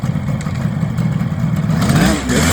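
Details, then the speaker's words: 1978 Kawasaki KH400 two-stroke triple after long storage, which had run on two cylinders, with the carbs just redone: busy burble with a slight rev rise, all three cylinders firing evenly. Normal running on three. "oh sounds good yeah I think I think it is and now it's running on three"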